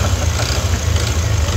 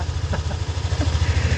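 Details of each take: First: Yamaha NMAX V2 scooter engine before repair: rapid hard knocking over a rough idle, steady with engine speed; connecting rod knock in the bottom end, silent after the fix. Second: Yamaha NMAX V2 scooter after repair of a ticking engine knock, officially fixed: quick, even low putter at idle with no knock or tapping between beats; engine running cleanly.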